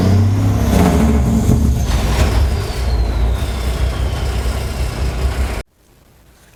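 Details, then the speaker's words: 1983 Peterbilt 359 diesel after Jake brake electrical checks, warmed up; heavy rumble with rapid barking chop about three per second as it slows; Jake brake solenoids now working normally. "now we have Jake brakes"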